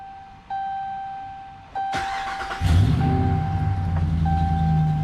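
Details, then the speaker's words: 2009 Ram 1500 Hemi V8, about 186,299 miles, after replacing cam and crank sensors for an intermittent prolonged-start issue: short crank under a second, then a clean catch into a steady, even idle; normal start, though the fault comes and goes. "well I mean it didn't prolong start but that doesn't mean much"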